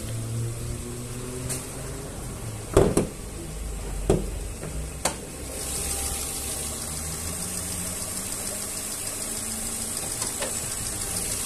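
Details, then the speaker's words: Renault 1.0 (Clio) petrol engine at idle, hood open: faint light tec-tec tapping from the top end, normal for its mechanical valve lash adjustment; engine otherwise healthy. "ó o motorzinho filézinho tem um tec tec aqui ó mas é normal deles porque é mecânico o escalamento de válvula e aí fica um barulhinho de um tec tec bem fraquinho"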